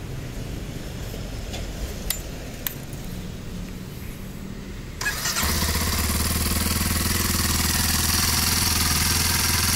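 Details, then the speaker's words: Kawasaki KLX 230 single-cylinder at idle; fast, busy idle around 1800–2000+ rpm with loud mechanical clatter over the exhaust beat; engine noisy and runs very hot, no clear fault. "Terus yang paling saya nggak suka dari motor ini selain tampilannya, ini nih suara mesinnya."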